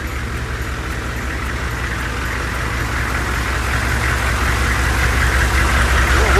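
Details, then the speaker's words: Humvee diesel after tightening both bolts on a moving part to cure an earlier noise: steady idle with even beat building slightly, no rattle or loose clatter; noise not returned, normal running. "we'll have to see if this noise comes back so i just backed it out i didn't hear that noise noise"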